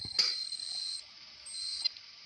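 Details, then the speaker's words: HP laptop that won't boot, showing black screen with text, due to failed hard drive: two thin high-pitched beeps, at times other odd noises; fixed by replacing the hard drive. "Tem hora que ele fica pitando, tem hora faz uns barulhos diferente aqui, não entra no sistema."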